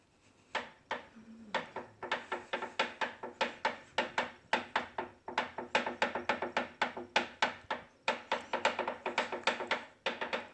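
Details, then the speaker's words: Bowflex VeloCore bike: crisp, regular clicks about three per second that keep pace with pedalling near the pedal and flywheel area. Turning the flywheel by hand makes no noise, so the source is unclear. "i'm not sure where the noise is coming from but i'm turning the pedal but when i turn the flywheel by hand it doesn't make that noise"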